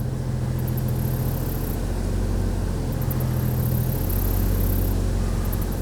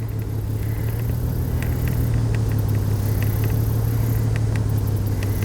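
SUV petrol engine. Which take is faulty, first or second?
second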